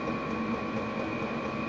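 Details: Diesel heater fixed in a shed on 12V battery, running on high power after ignition: steady whirring hum with constant high fan note and even burner roar, no surging or pops; battery dips slightly, low diesel use, running normally.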